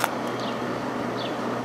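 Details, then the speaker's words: Vintage 5,000 BTU Kenmore (Whirlpool) window air conditioner, Matsushita rotary compressor, running on low and already cold; soft even fan rush over a faint steady low hum, very quiet, no knocks or rattles: normal running. "It's very quiet."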